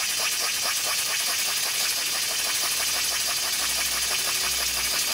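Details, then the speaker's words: DIY live steam engine on refurbished boiler, relief valve set about 10 psi; steady hissing exhaust with quick uneven puffing beat, running rough; owner suspects the slide valve isn't seated properly or fits poorly. "that noise leads me to believe that the valve isn't seated properly i don't know why but it's just a hunch that the valve isn't seated properly"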